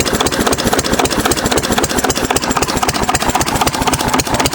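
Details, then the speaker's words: 6 HP Witte single-cylinder diesel, first run in about 30 years after valve work, oil change and fuel system cleaning: slow, even thumping at about four beats a second with no misses or knocks; healthy idle. "So, I just like to let it uh idle. Just post nice and slow."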